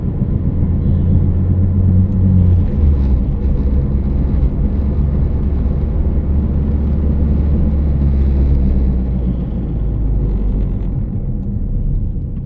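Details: Vehicle while driving, humming and "cricket" noise reported: steady low drone under the road rumble that holds through the drive, no chirp standing out, cause not determined.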